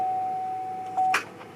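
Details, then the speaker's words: 2013 Chevy Silverado: steady dash chime, one faint click, then silence with no cranking; owner suspects a dead battery, bad ground or starter, not confirmed. "nope well i didn't do a thing all right time to go work on the starter i guess"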